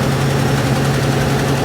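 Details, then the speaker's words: 1969 Ford Bronco V8 after new intake and carburetor, running again after fixing fuel pump wiring; running rich, possible exhaust leak on one side, linkage not closing to idle; deep even idle, no stalling; normal idle. "We're just gonna let it sit here for a minute. Make sure she's running well. Fuel pump is fuel pumping."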